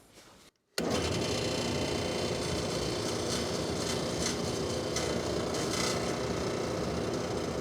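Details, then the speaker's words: 3D-printed replacement impeller with larger, thicker redesigned central hub on an industrial dust collector blower: loud steady air rush with rough throbbing rattle three to four times a second; owner says something is definitely wrong, about 74 on the meter; impeller imbalance vibration. "there's definitely something wrong with that but I'm going to go ahead and just test the CFM anyways so it was a little bit louder than last time up around the 74 Mark"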